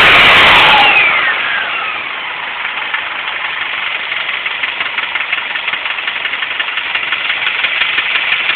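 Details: Subaru Impreza EJ25 after highway drive: loud sharp ticking knock about four per second over rough idle that began suddenly; owner suspects a spun bearing, not confirmed.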